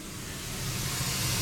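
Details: Ural 4320 logging truck with engine off. A steady, sharp hiss keeps building: compressed air leaking from the brake air system through damaged hoses or tubes, which are then replaced.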